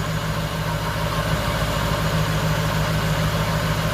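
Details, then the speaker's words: Nissan D22 Navara with VK45 V8 swap idling after the dud wire was repaired with a new plug pigtail: steady, even burble with regular pulse, no stumbles or dropouts; normal idle, fixed. "No drama at all. Fixed. So just one dud wire that was causing all our trouble."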